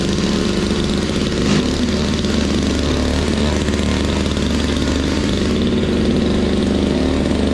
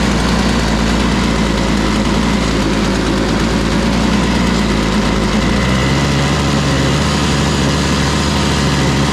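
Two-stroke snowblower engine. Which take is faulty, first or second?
second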